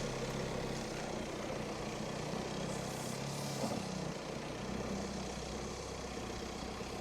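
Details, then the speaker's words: Crash-damaged Audi Q5 Quattro TDI diesel with smashed-off intercooler, codes read and cleared: quiet, even idle with a steady low hum and no knocks, rattles or hiss; sounds healthy. "certainly sounds very very nice"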